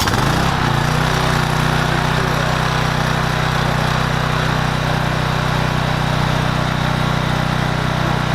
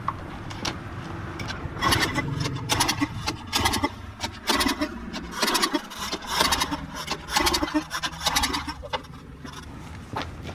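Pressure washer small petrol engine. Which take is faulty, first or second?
second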